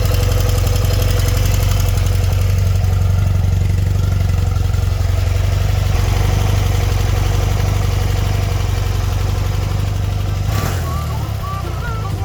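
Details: BMW R100RS boxer twin idling fast and steady at about 1500 rpm during carb idle adjustment; throttle cable trapped in the fairing in front of the forks was holding the throttle slightly open.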